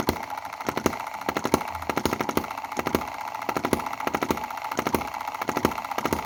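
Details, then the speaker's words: Chinese M19/EM2 hit-and-miss gasoline model engine: rapid sharp popping in repeating groups of three with dropped beats where it fails to fire fully; misfire from retarded valve timing, cam position needs advancing. "so you hear it's not firing on one two three: one two three: one two three: there's three instances where it's not [fully] firing"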